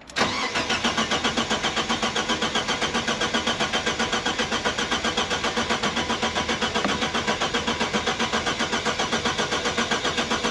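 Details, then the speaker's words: Car bought for £300, starting for the first time with newly cut keys: starter churns evenly about four beats a second for ten seconds, never fires. Dash warning shows crash fuel cut-off tripped, starving fuel. "uh no oh that's yeah fuel cut off see handbook yeah yeah it is yeah so on these they've got a fuel cut off so obviously whenever in an accident they'll um cut the"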